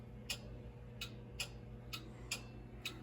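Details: Burnham Alpine boiler radiant heating, no-heat call, zone 4 actuator powered via TT with relay and thermostat wire confirmed good: faint sharp ticks about once a second over a low hum; actuator clicks without seating, end switch never closes.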